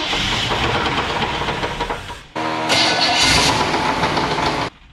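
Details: 1978 Chevrolet Nova Custom, 305 engine, sitting over 30 years, first start attempt with ethanol-free 93 poured in: cranks, fires and runs a couple of seconds with an uneven, rough, knocky beat, then cuts out; the battery died.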